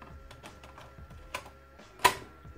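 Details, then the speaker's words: Amiga 500+ floppy drive: rapid dry ticks, five or six a second, then a sharper clack as the head seeks repeatedly without reading. Three disks all failed. "c'est le bruit caractéristique d'un lecteur qui ne fonctionne pas."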